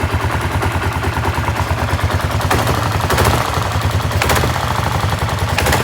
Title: Klr650 Engine knock noise, Is that normal?